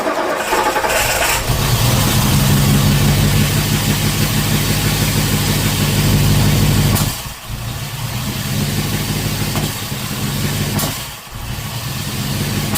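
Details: Ford V8 with Holley Sniper 2 fuel injection, battery at 12.7 V, TPS at 0.0: fires up and idles roughly with sharp pops and dips every few seconds; backfiring, with ignition timing later reset at top dead center using the harmonic balancer mark.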